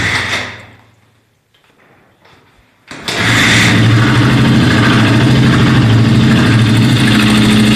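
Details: Suzuki Djebel 200 single-cylinder engine: after a pause it starts and runs with a steady, even-spaced clatter about 220 per minute; abnormal engine noise, cause unknown.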